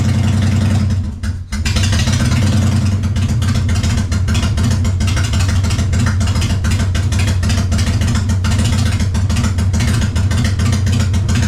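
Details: 1999 Harley-Davidson Fatboy after gas tanks cleaned and reinstalled, started on a jump box: brief crank, the V-twin catches and settles into a steady even lumpy idle with a few revs; runs cleanly.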